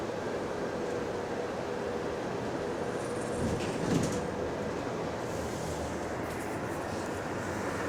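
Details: GAL bus EBD67 on route SL4, after its creaking suspension noise was fixed: an even road and drivetrain rumble with no rhythmic creaks over bumps. Normal ride, no suspension creak.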